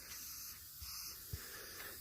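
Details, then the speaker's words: Car tire, loosened from the vehicle: faint steady high-pitched hiss of air escaping at the puncture, with one soft thump, before the object is pried out and the tire plugged. "we've got it loose and the leak is right here that's our problem right there i don't know if you can still hear the air hissing out but"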